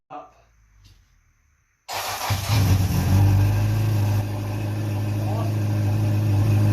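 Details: Honda CB700SC Nighthawk inline-four after a carb cleaning, with stock jetting (35 pilot, 115 main), air screws 2 turns out, non-ethanol fuel, 4-into-1 exhaust, no airbox and throttle cables unhooked. Cranks, catches and settles into a steady, even drone. Normal running.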